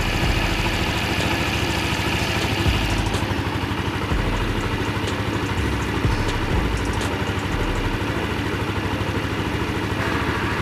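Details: Empire Outlook/Logik scooter brought in after running out of oil with a suspected connecting-rod knock; after fresh oil (about 900 ml) and new coolant, it idles with a steady, even putter, no knocking or rattling, normal idle.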